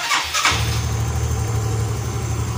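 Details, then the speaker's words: Yamaha Xeon GT125 scooter after replacing a stuck, smoking cylinder block and piston kit: short burst as it catches, then a smooth, steady low idle with no tapping or knocking; the earlier rough sound and exhaust smoke are gone. "Hi, the sound is smooth, my friends. Hi, it wasn't blocked by the server. It just doesn't smoke anymore, Erin. The exhaust is okay."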